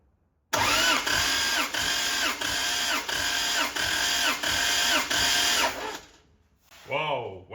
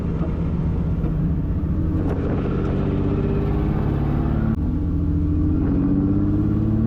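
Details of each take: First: 1.5JZ-powered Corolla drift car, compression test during cranking with spark plug out: even starter cranking about ninety beats a minute with a steady pulse per stroke; this cylinder reads about 200, normal; cylinder 2 low at 150 with a suspected broken ringland. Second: 1.5JZ-swapped Toyota Corolla drift car, run low on oil with failing compression: lumpy, uneven loping exhaust note under load as if running on about three cylinders, having dropped at least another cylinder; misfire from lost compression.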